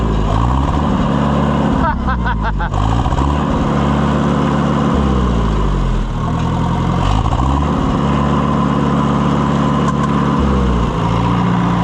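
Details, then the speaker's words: Oliver 550 tractor, very late model, after pushrod repair and valve adjustment, first test run: loud steady even engine beat, no knocks or misses, slight speed variation; running healthy. "Boy, she runs good."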